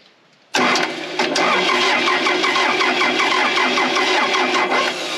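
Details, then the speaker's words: Case 450B bulldozer diesel: starter churns unevenly around eighty per minute but never catches; fuel chamber was bone dry, now some fuel visible but not filling. Suspected fuel delivery problem, not confirmed; cranks, no start. "Oh, I do see fuel in there, but it's like it's not filling up. Should that chamber be full?"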